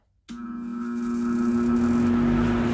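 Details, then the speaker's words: Cheap box fan on high powered by a Craftsman 20V 150W battery inverter (about 101-103 V AC output) while also charging a tablet: strong steady electrical hum over the airflow, absent on a normal wall outlet; fan motor hum on inverter power. "running the box fan on high on this battery inverter sound a little noisy compared to like the 110 you hear that hum to it"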